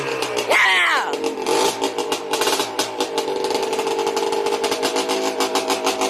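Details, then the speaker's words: Yamaha Blaster two-stroke at its first start after a rebuild: a crisp buzz idles, then revs up cleanly and settles with no knocking through the rise and fall. The engine is running normally. "the blaster lives again and there's no knocking"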